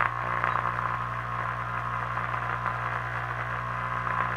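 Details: 1935 Philco 84B regenerative radio after restoration and oscillator coil rewind, antenna and ground connected: steady low hum under hissing static with faint warbling station; suspected poor ground at the amplifier chassis rivet.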